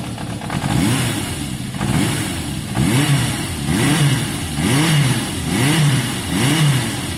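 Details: Warm Yamaha XJ550 after carb cleaning: engine note swells and settles about once a second, then runs clean with no misses or popping; the idle seemed a touch low and was being raised. Normal idle.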